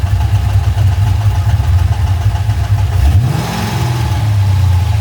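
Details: LS1 V8 idling with a light ticking over the idle, then a blip; the knock appeared suddenly on the top of the driver's side bank after a recent full service, with good oil pressure and no warning lights; owner leans towards a lifter; top-end ticking.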